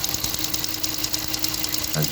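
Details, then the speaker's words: HEMI V8 at idle with fast, even, light top-end ticking. After a dealer inspection, the owner believes it is loud fuel injectors, especially cylinder 1, not the cam or lifters. "it's noisy for sure there is some pulling noise here i think just standard hemi noise but i don't think it's a cam nor the lifters"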